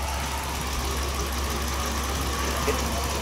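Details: Dodge Ram 1500 (codes P0108/P0152/P0390/P2172; RPM had been rising erratically) idling after a loose wiring connector was re-seated and locked: steady, even low rumble with no surging or hunting, now idling smoothly.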